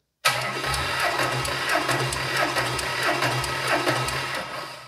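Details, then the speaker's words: Junkyard supercharged Ford SVT Lightning engine on a pallet, supercharger belt off: dry compression test, even, steady cranking pulses with no dropouts, about 165 psi with all cylinders roughly equal. "right cool so this is a dry compression test we haven't poured anything into the cylinders and uh we're right around 165 ish something like that"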